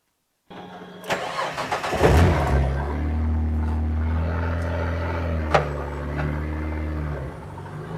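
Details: 1967 Ford Anglia 105E with Mitsubishi 6A13TT engine, on axle stands: after cranking and catching, a light, quick tapping of three or four a second rides over the idle from the front, loudest at the passenger-side timing belt cover; cause not yet found.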